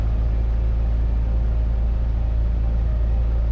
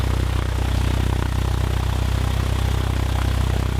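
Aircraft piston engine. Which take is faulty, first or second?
second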